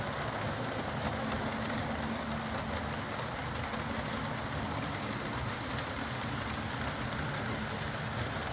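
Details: Old Lima Class 40 model locomotive in BR green, originally dead with front bogie issues, now on a completely replaced motorised chassis; quiet, steady, even hum with faint low tone, no stutter or surges, smooth healthy running.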